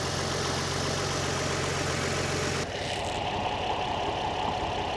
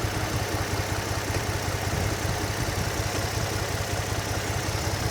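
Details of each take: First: Nissan 350Z with swapped donor engine idling after gasket replacement on lower collector plenum and throttle body; normal fast light injector ticking heard at cylinder two, yet engine light still on, cause not found. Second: Nissan 350Z after donor engine swap, first start, revved then idling: uneven lumpy idle with irregular low thrum, misfiring, check engine light on; cause not yet scanned.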